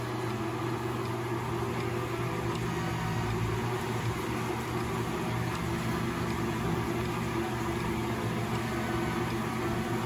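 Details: Frigidaire Gallery washer (model 417.39022890) after replacing suspension spring and door lock: steady even drum hum with low rumble, no knocking or scraping as spin starts; drain pump fine, normal spin.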